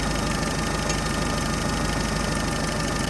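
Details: UAZ 31512 engine idling at about 760 rpm after the distributor was turned and the timing set with a strobe: steady, even, slightly rattly beat with no misfire, running smoothly.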